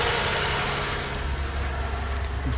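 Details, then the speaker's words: 2016 Toyota Sienna with constant cooling fans and hard starting, coolant temp reading 93.2 °F: steady even idle, smooth low hum, no hunting or misses, cooling fans off; no trouble codes. "is pretty good and the thing is running as you should not up and down on the idle"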